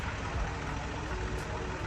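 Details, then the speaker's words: Range Rover SUV with a known engine problem idles with a rough, rattly clatter over a heavy low rumble; cause not confirmed. "In an ideal world, if I wasn't a YouTuber, I would not be looking at this. Definitely sounds a little bit rattly."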